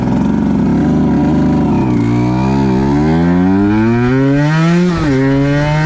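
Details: 2010 Aprilia RS 125 two-stroke, VHSB34LD carb before tuning (162 main, K57 top clip, B36 pilot, air screw 2.5 out): revs climb with a rough, wavering patch and a brief dip around 6,000–7,000 RPM. This is a suspected rich stutter from the stock needle, with a leaner K21 needle as the fix.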